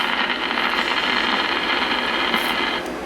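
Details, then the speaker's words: Early-1950s RCA Victor 1X52 All American Five tube AM radio after replacing 50/30 µF 150 V filter capacitors: dense thunderstorm-like crackling static, no reception; silver mica disease in the IF transformers' silver mica capacitors. "over the years that thin layer of silver mic degrades and you get what they call SMD silver mic disease and you get the the sound of a thunderstorm thunderstorm crackling"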